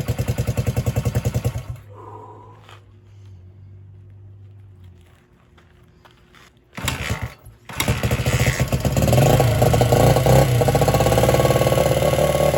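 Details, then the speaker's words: 1978 Honda XR75, last run around 1989, first start after reassembly, stripped-stud repair and refilling fluids: it fires and revs roughly, briefly quietens, then runs strong and steady. It runs normally for a long-stored bike. "I think it actually does pretty good for something that has been sitting this long"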